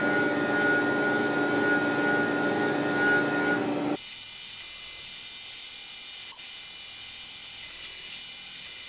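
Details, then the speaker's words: Tormach 1100MX CNC contouring a thin 6061 aluminum Brembo caliper bracket, at a shallower depth of cut than the thicker bracket: an even, steady cutting tone with no squeal or rattle. A smooth cut with no chatter. "all right it's cutting nicely in there it seems to like this depth of cut better than that extra couple hundred thou on the thicker bracket"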